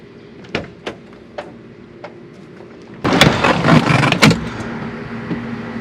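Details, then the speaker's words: BMW E36 with months-long crank-no-start, spark and fuel present, low compression (~90 on one cylinder) suspected, intake boot not fully connected: starter clicks, engine fires roughly about a second then dies; owner suspects compression issue. "uh started up and ran there briefly but then it kind of uh died"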